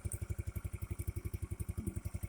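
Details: 50cc Chinese scooter with 13 miles, after draining water-contaminated fuel, a new spark plug and raising the idle, warming up: small single putters evenly at idle, steady and clean with no misses; charging about 13 V.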